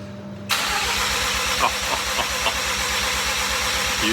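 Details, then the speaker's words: Mazda FD RX-7 single-turbo rotary on Haltech ECU, 24+2 trigger, cranking with fuel off to check synchronization: steady even starter churn with regular pulses, no misses or clatter; normal cranking. "The next thing we'll do is get Davo to just give it a crank again, and we'll say synchronization level. Hopefully, that's going to go to full."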